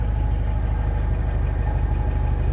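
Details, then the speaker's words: Mercedes SLK 230 after welding a leaking rear muffler, extra muffler and steel wool added earlier: steady low idle rumble with no puffing or hissing from the exhaust; system sounds sealed, leak fixed. "okay everything is there again and the sound test [Music] let's dist it now okay we have no leaking sound"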